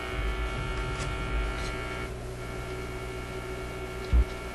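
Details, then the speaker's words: Zenith Y825 vacuum tube AM/FM radio on almost 120 V restricted power, previously working fine before six months on a shelf: loud steady low mains hum under the radio sound, source still unknown. "She's a Hummer. At least we're getting some radio action out of it. I have to figure out what the hum is on it."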